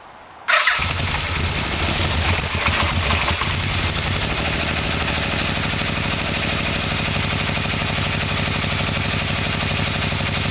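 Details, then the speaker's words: Yamaha V-Max with a 1987 engine fitted, final test after a carb sync with the exhaust connected: it starts right up and settles into a steady, even idle with no knocks or noise. The owner is unsure the plugs are seated properly, but calls it a success. "oil-burning off but it was like the motor started right up not making any noise so I would say this is a success"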